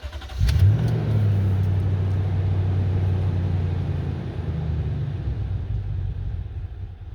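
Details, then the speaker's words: Toyota Tundra with intermittent crank-no-start and rough start, rough idle: brief crank, then catches and settles into a low, slightly uneven, wandering idle; fuel pump driver module at driver's rear tire failing, replaced with new module. "All right, we got the Toyota Tundra here and we got a crank. No start sometimes and rough start, rough idles when it does start."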